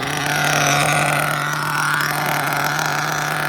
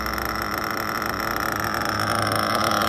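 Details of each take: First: Mugen MBX5 1/8 nitro buggy, still breaking in, first run after sitting 14 weeks put away wet, preheated: steady high buzz with burbly, blubbery edge and slow pickup; still lean on the low-speed needle, plenty rich on the high-speed needle. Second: Mugen MBX5 1/8 nitro buggy engine, still new, after richening the low-speed needle so it stopped leaning out: steady high buzzy idle at a pretty low pitch, stable with no surging; still flames out on let-off, judged a bit rich on top.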